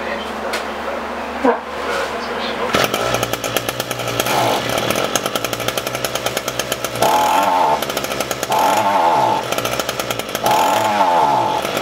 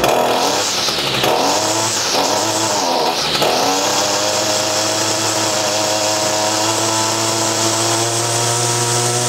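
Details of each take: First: Echo SRM-225 string trimmer after carburetor diaphragm replacement: small two-stroke buzzes unevenly, firing stumbling and surging with no steady rhythm; still running poorly, so the carburetor needs deeper work. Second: ECHO SRM-225 trimmer after hidden jet adjustment, diaphragm and air filter replacement, final test: quick throttle blips, then a steady, clean high rev at an even pitch. Normal running.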